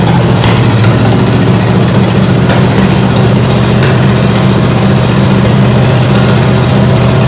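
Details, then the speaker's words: Ford 8BA flathead V8 (1949–53), bought painted off Marketplace, with a suspected fuel pump diaphragm/top-cap leak: steady, fast idle with an even low rumble that never settles; carburetor suspected. "Idled so high. That carburetor is weird."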